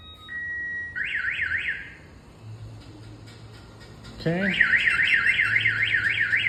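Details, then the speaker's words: 2004 (or 2005) GMC 2500 HD diesel pickup with a newly installed Viper alarm. Door opened to trigger it, and both sirens go off. Loud warbling siren rising and falling several times a second, cuts out then restarts; alarm working as it should. "let's see if somebody was to open the door not only one silence [Music] so now it's even louder you can hear both of them going off [Music]"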